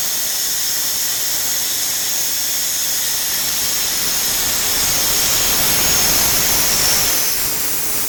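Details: Renner RS TOP 7.5 kW screw compressor, about 1 m³/min, built 2013, just under 5,000 hours, freshly serviced with new air/oil separator, oil and air filters: steady loud airy hiss over a constant whir, no knocks or rattles; normal running.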